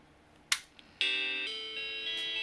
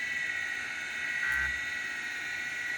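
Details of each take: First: Macintosh SE/30 logic board after swapping ROM SIMM for known good one, no RAM installed: single click, then clean sustained startup chime; original ROM SIMM faulty. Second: Macintosh SE/30 hard drive at power-up after freeing a frozen actuator (seized bearing suspected): steady high whir with a faint dry scraping hiss, no knocking; the heads are rubbing on the platter.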